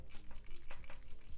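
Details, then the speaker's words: AirPods Max headphones shaken: quick light clicky rattles inside the ear cup, like loose plastic tumbling; likely something broke off inside after a drop, or an overtightened screw. "If you hear that rattling noise, there can be many different reasons why, but the two main reasons will be that one, the previous owner has dropped their AirPods Maxes and something inside the headphones has broken off and started to rattle."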